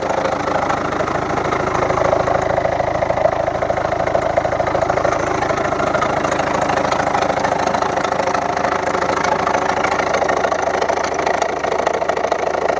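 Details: 2011 Volvo V70 1.6d TDCi/HDi diesel: a sharp, regular knock ticks steadily over a lumpy idle. The 2nd injector from the right was flooded with engine oil from a leaking copper washer. Replacing the washer stopped the knock.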